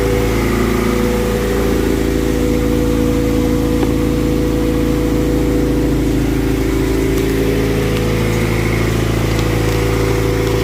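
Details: Honda hatchback rarely used, with a weak battery, started using a jump-starter power bank: engine catches and settles into a steady, even idle with a smooth low rumble and no misses; running normally.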